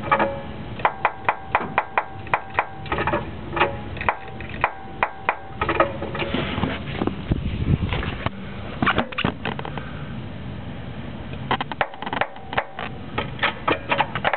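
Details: 2000 Honda Civic with KYB GR2 struts, Eibach Sportline springs, Skunk2 camber kit: sharp pitched creaks and pops, one to two a second, as front suspension is slowly jacked up, from upper spring/strut area; owner suspects springs or camber kit bushing, unconfirmed.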